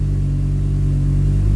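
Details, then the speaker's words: Audi with newly installed engine, just started and warming up, before fitting an Accusump auxiliary oil tank against low oil pressure: smooth, deep, even idle with a constant low drone and no ticks or knocks; normal idle. "Tundub hea. Lasen kergelt soojaks, tagurdan tõstukile ja siis lähme juba kapoti alla toimetama."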